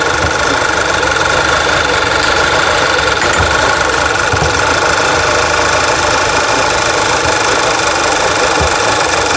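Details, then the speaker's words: 2011 VW Tiguan four-cylinder, codes cleared and fuel trims reset, idles rough with random misfires on all four cylinders (P0300), uneven stumbling and irregular thumps; many parts already replaced. "So I cleared all the codes and it's reset the fuel trims, and now it's misfiring like crazy on all 4 cylinders. You can hear it running poorly."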